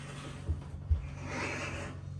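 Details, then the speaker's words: Dryer drum turned slowly by hand gives a soft, dry scrape over a low hum, traced to the top of the drum rather than the idler pulley and rollers; a foreign object caught there fell out when the drum was pushed back and spun. "It sounds like it's coming from up top, not below where like the pulley is, the idler pulley, and the wheels that spin it."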